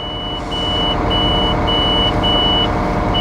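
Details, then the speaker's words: 250-ton mobile crane during its annual inspection, hook raised to the upper limit: high half-second beeps repeat over the running engine as the limit switch trips, allowing only hook-down and boom-up moves; the limit switch warning is working properly. "And that's how we check the limit switch."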